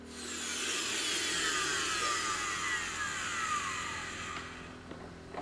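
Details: Dyson vacuum motor just fitted with new brushes, with some arcing while they bed in: a high rushing whine settles, then its pitch slides steadily down as the motor coasts to a stop; normal motor run.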